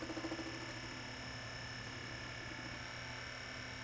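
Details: Technics SL10 linear-tracking turntable after service and wire re-routing (owner suspected the DC motor getting noisy): faint even whir with a few soft ticks, no grinding; normal tonearm return.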